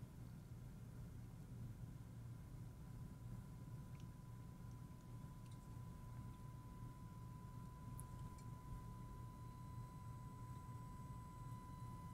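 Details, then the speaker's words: MAAS 50 vacuum tube amplifier (rated 50 W, 6L6 tubes) on the bench driven by a 1,000 Hz test tone into an 8-ohm dummy load near full output. A thin steady 1 kHz whistle over low hum: the output/audio transformer is audibly singing, pretty loud. "I don't know if you can hear that 1,000 cycle tone. That's the audio transformer making that tone. Pretty loud."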